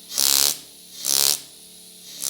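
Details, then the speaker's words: Vevor pneumatic jewelry engraver, speed control at one (full): three short bursts of very fast, high buzzing strikes, each about a third of a second, faster than at half; normal top-speed hammering. "It does increase. Now if I go to one, it goes even faster."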